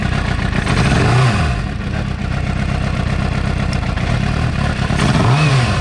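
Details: 2006 Suzuki GSX-R750 idles lumpy and uneven, hunting with odd blips as if not on all 4 cylinders; stalls at lights, weak under load. Owner suspects a bad coil pack, but coils spark and show similar resistance; cause unconfirmed.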